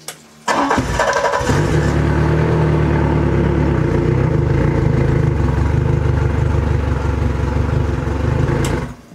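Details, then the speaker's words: 115hp Yamaha outboard started on a WattCycle 100Ah lithium LiFePO4 cranking battery, water hooked up: brief, brisk crank under a second, then the engine catches at once and runs strongly and evenly; normal cranking and start. "Both of these batteries crank really well because this Yamaha doesn't like to be cranked slowly. It likes to really get revved."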